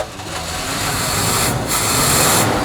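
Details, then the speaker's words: 1973 Chevy square body truck V8, sat 20 years, just after about four spark plug wires were switched to correct the firing order: settles into a steadier, even idle with the misfire stumble gone; sounds a lot better, idling smoothly. "after we switch the wires around and the engine started up it amazed me how smooth it actually ran i didn't expect it to run that good no smoke no nothing just sm"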